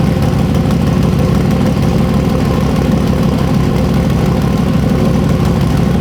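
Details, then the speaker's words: Freshly built, not yet broken-in carbureted 421 small-block Chevy V8 for an S-10, first start: even, steady low rumble at idle with no knocks, misses or ticks; sounds good and crisp. "It does sound good. It hasn't broke in yet. Dude, it sounds good."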